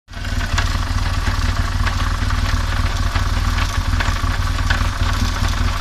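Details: BMW R1200GS motorcycle running with a low, steady rumble, overlaid by an uneven clatter of about three knocks a second; a strange final drive noise of unknown cause.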